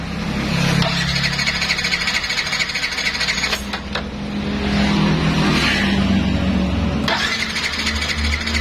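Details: Yamaha NMAX no-start: the electric starter whirs in several bursts and the engine spins freely but never fires. Fuses, spark plug, coil and ECU tested fine; the fault was in the wiring.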